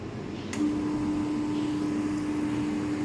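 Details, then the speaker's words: Laboratory laser-setup cooling pump, which had been dead, running again after being restarted: a steady, even hum with no surging or rattle and no leaks felt. The pump runs normally. "so that's the pump going and it doesn't feel like there's any leaks"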